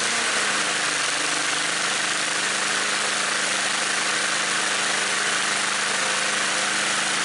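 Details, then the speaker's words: Snapper commercial mower engine with a new HIPA aftermarket carburetor, cold start on choke after one pull: catches quickly and holds a steady even buzzing run with no misses, surging or knocks, then smooth idle; carburetor working normally. "Got a really super smooth idle, and now I'm going to go from idle to wide open throttle, and mind you, the engine is cold."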